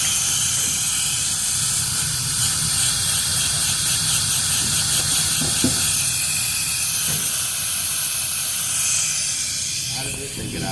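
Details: Workshop air compressor, after auto tank drain cycle: steady sharp hiss continuing after the motor stops, tank bleeding off pressure; owner suspects a faulty intake check valve.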